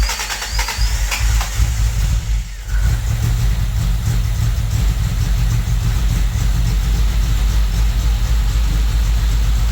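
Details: Toyota Tercel wagon with swapped 4A engine and carburettor, running after fitting a Schneider Racing regrind cam with valve springs: deep, uneven loping chop at idle, otherwise steady, with the owner amazed it chops better than his truck.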